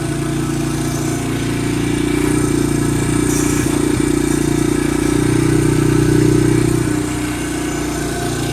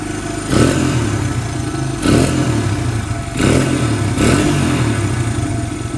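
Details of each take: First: Vintage barn-find Honda dirt bike holding a fast, steady idle that never settles to a lazy beat; the idle is a little high. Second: Barn-find Honda single-cylinder four-stroke dirt bike, parked for years, just fitted with a carburetor, old oil; idle slightly high, blipped four times and dropping back cleanly each time, runs strong and even.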